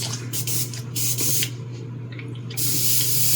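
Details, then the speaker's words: Airbrush tested for spraying after another was found dirty: steady hiss of air and paint in short bursts as the trigger is worked, clean and even; airbrush spraying properly. "Let's see. This one's spraying."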